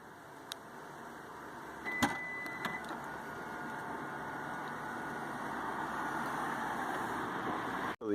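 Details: Lexus RX 350 power tailgate after fix (glovebox tailgate button had likely been pushed off, causing only two beeps): a click and short beep, then a smooth, steady motor whir as the tailgate opens normally.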